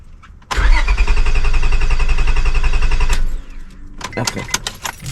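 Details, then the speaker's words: 2002 Honda Accord coupe V6 after timing belt, water pump and radiator work: starter spins steadily about three seconds, never catches, then a few clicks; no fuel pump noise, owner suspects bad main relay, unconfirmed. "Okay, I did a light tap. I don't know if it's going to start now. Nope. Could I have gotten a bad main relay?"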